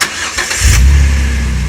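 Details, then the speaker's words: 2008 Jeep Wrangler 3.8L V6, just after an oil change to AMSOIL 5W-20 synthetic and a new filter: a quick crank catches cleanly into a smooth, steady idle with no knocks or stumbles. Normal start. "oh that's smooth so that's it so we are good"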